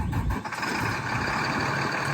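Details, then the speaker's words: 2005 Sterling Acterra crane service truck with Maintainer 3220 crane, Mercedes-Benz turbo diesel, 6-speed manual, 386,000 miles; starts right up, rough even diesel clatter with steady beat, no misses or knocks; runs fine. "It's got a Mercedes-Benz turbo diesel that starts right up and sounds great."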